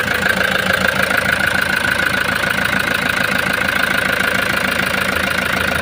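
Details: Toyota HiAce diesel van that arrived from another shop not starting, with its suction valve already replaced, and was also out of fuel. After a new pressure pump was fitted and primed, it starts to a steady, even idle clatter with no misses.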